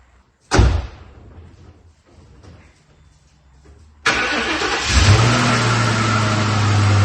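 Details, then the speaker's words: Police car with 45,000 miles, after a new fuel pump and fuel filter and a fixed plug problem. A short crank, then a clean catch into a steady, even idle with no check engine light and good oil pressure; normal start and idle. "I think it's good. It cranked up, no check engine lights. Sounds like it's running smooth."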